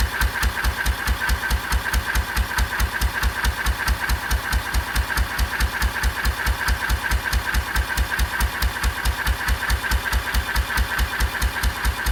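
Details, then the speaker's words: 1926/7 National 5V petrol-paraffin engine after new rings cured its smoke, warm and running on kerosene under load, fitted with an under-engine silencer and a Lister silencer: crisp, even firing at about 140 a minute with no misses or knocks. Healthy running. "This is running on kerosene, and it was lovely and clean. Ran very well indeed. It's got a lovely sound to it."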